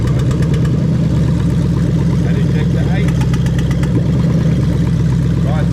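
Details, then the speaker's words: Lexus LS430 3UZ-FE VVT-i V8 on an adapted plug-and-play harness for a Toyota Altezza RS200, idling during diagnostic active tests: a smooth, even low hum with no misses, knocks or hunting. The engine is running lovely. "yeah the engine running really lovely over there"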